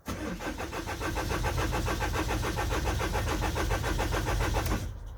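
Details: 2009 Vauxhall Movano minibus, sat unused with repeated flat batteries and jump starts; engine management light off, no communication with engine ECU; starter spins the engine evenly at about three to four pulses a second but it never fires; crank, no start.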